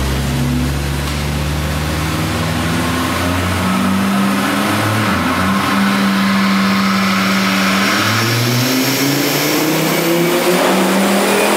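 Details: Volvo 850 turbo on a dyno under load: loud turbo engine with an uneven, stumbling beat; suspected misfires that only show on the dyno, not on the street, with the mixture running lean at the end.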